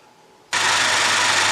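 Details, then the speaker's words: 2020+ Ford Explorer ST 3.0 EcoBoost started right after installing a UPR dual-valve catch can: brief quiet, then catches at once and settles into a steady, even idle with no knocks; sounds good. "Everything sounds good, everything looks good."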